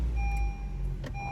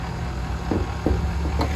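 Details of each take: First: 2017 Honda HR-V after replacing the serpentine belt and the belt tensioner/idler pulley: a short, steady low idle with no squeal or chirp from the accessory drive. The earlier engine-compartment noise is gone, giving a normal idle. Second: 2017 Honda HR-V at idle: steady low drone with an odd chirping whir on top, coming from one side of the engine bay and enough to suggest internal engine damage, but the cause was only a worn idler pulley.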